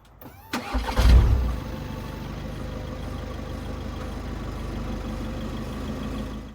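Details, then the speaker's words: Seat Leon engine starting and idling smoothly after re-mounting the dropped exhaust heat shield with new clips; no rattle from the exhaust backbox. "Final test, starting the car to make sure the exhaust doesn't rattle."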